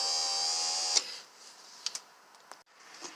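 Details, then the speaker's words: 2012 Kia Sorento stuck power window driven up by a grounded test lead probing the orange wire (brown lowers it). A thin, high-pitched motor whir runs about a second, then stops with a clunk; the window motor operates normally. "take your test lead, ground it, use the probing portion to roll the window up, hit the orange wire, you can hear it responding."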